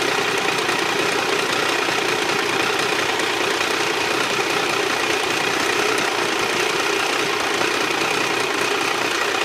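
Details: Triumph 955i inline-triple idling with fast light ticking about three a second over the engine; owner unsure if clutch, valves or something else, says worse when hot and louder on the left side.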